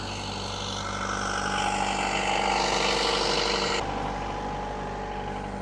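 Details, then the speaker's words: Marine diesel on a boat, not run in a while, oil poured on valves before start, at 1500 RPM with water temp at normal 160°F and oil pressure a bit over 50; steady even drone, no smoke, alternator charging 14.4 V; earlier blue smoke blamed on a clogged injector. "So everything's perfect. It's good. No smoke. That's really cool."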